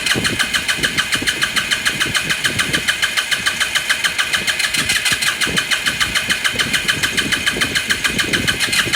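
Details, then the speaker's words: 2018 Lance Cali Classic 125cc scooter cranking; spark plug confirmed sparking; fast, even starter chatter at about three and a half beats a second, never fires. Owner says it is not getting fuel. "battery back on back on back on you see this thing did not getting gas"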